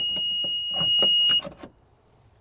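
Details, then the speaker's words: EZGO PDS golf cart that won't run (new controller fitted, motor removed): steady reverse warning buzzer sounds when shifted to reverse, with clicks and handling noise, showing the reverse switch is good; cart does nothing in forward. "So, when whenever you put it in reverse and the buzzer works, that tells you that the re switch is good."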